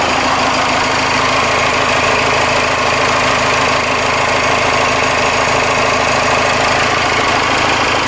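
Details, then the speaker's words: Ford F150 with a swapped Cummins 6BT diesel, first start after front-tank fuel system work and bleeding air from the lines. Even, rapid idle clatter with turbo whistle, no smoke and no misses or knocks: a normal diesel idle. "oh yeah this engine will shake your truck that's why they say it comes forward makes it come and shakes it yeah turbo whistle it's not smoking today it's good sounds like a baby for uh 6bt"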